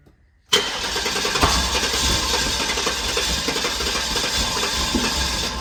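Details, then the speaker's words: Guanci SSJ mid-engine V8 prototype: starter churns steadily for several seconds without catching; long crank, suspected lack of fuel pressure. "I think it need to build fuel pressure probably not running on filers"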